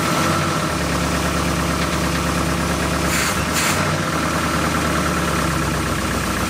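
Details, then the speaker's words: 1972 Oldsmobile Cutlass S four-barrel V8, stored since 1987, first start after 33 years with carb bowls hand-filled, possibly running on old gas; lumpy, stumbling, uneven idle with no clear knock. "why what oh that didn't sound good very good [Music] hang on they actually idled let me fill the bowls again"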